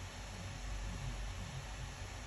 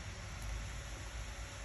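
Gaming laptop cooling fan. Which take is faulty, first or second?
second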